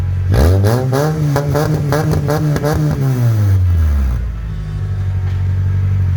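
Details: Manual Honda CR-V stripped into a convertible, first start with the exhaust removed: raw, loud barks as it revs and drops back to idle, with a crackly open-pipe tone; loud engine with no exhaust.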